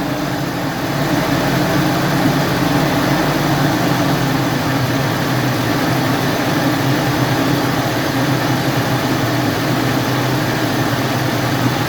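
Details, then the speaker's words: 2017 UAZ Patriot, cold engine after standing about 1–1.5 hours, revs raised slightly then slowly lowered to idle while hunting a knock: smooth even idle with a faint steady hum that seems to come from the alternator, judged normal, no knocking. "так но я только слышу какой-то шум от героем слышу шум от горы на 2 прядки это как бы принципе норма"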